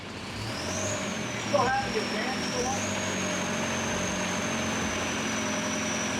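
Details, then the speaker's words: VW TDI diesel-swapped Willys Wagon on Jeep Wrangler frame, running after adjusting injection pump timing: steady even diesel idle with faint high whine, no misses or knocks, less smoke; running normally. "pretty cool all right well we got it running good job"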